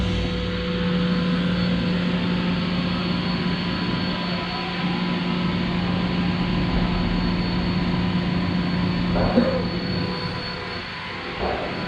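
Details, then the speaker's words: CompAir L11 fixed-speed rotary screw compressor on 208 V three-phase with dryer, started and building pressure; constant low motor hum with steady tone and a hiss of air released near the end, running smoothly. "turn it on the motor started up as you can see there is building pressure"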